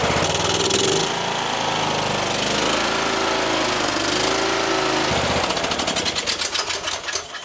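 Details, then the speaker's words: Troy-Bilt XP Horse lawn tractor engine after carburetor cleaning, a sticking part inside the carb found, suspected of limiting fuel: runs strong and steady with even exhaust beat, no stumbling or surging; normal running. "Okay, that is running way better than it was."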